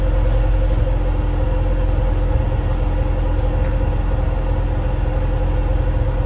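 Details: Cold start with a home-welded straight test pipe in place of a broken electric exhaust cutout: a loud, deep, raspy exhaust rumble with rough pulsing at idle, unmuffled; the owner says it still sounds like crap.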